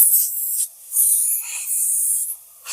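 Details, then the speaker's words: Harbor Freight 3-gallon oilless 100 PSI air compressor: sharp high hiss in bursts with no motor running. Air escapes at a bent line fitting that needs straightening and rebending. Compressed air leak. "okay now you can hear it's leaking I don't know if you can but I can definitely hear it okay and we are leaking air from right up here"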